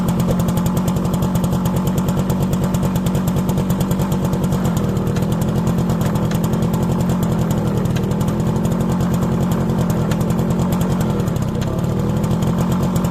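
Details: Motorcycle rear drum brake after new shoes were noisy, cleaned and springs greased: steady single-cylinder thump with no squeal or scraping from rear wheel; brake runs quiet.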